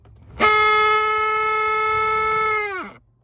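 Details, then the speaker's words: 2007 Mitsubishi Lancer heater/AC blower motor, tested out of its housing: a steady high-pitched whine for about two seconds, winding down when power cuts. Debris came out and it now spins easier; the cause is still being checked. "i turned it on and i turned it off and it made the sound for a second and then it stopped and then something came out of it uh and now it's actually able to spin a little bit easier let's see"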